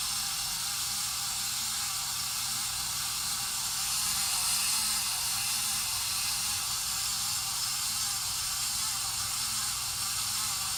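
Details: 53-inch Casablanca Spirit Of Saturn ceiling fan running with constant high hiss and rushing noise, no low hum; worn-out bearings, later replaced.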